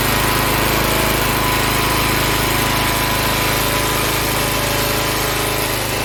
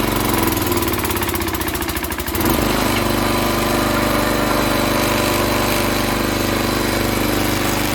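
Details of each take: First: Log splitter Briggs & Stratton engine 126T02 after repair: carburetor cleaned, speed set to about 3100 rpm spec, valve underneath two turns out from seated. A steady, even high-speed single-cylinder drone, no surging or stumbling; running much better. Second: Log splitter small single-cylinder engine, after half-turn adjustment: runs loud, lugging heavily and nearly stalling under hydraulic load; improved but still close to bogging down, needs further adjustment.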